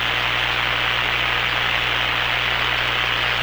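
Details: Hammarlund SP-600 receiver after replacing power-supply filter electrolytic capacitors, running at 117 V mains with B+ about 260–300 V: smooth, steady speaker hiss with only faint low hum; quiet supply, new filter capacitors working, repair successful.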